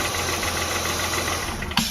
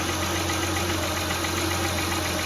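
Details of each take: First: 2003-2008 Honda Pilot at idle with the alternator connector unplugged: smooth, even idle with no whining at all, confirming the alternator caused the rpm-rising whine; alternator then replaced. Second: 2003–2008 Honda Pilot, engine idling, stethoscope on the alternator housing: a thin steady whine over the idle that rises with engine revs; worn alternator bearing whining, alternator to be replaced.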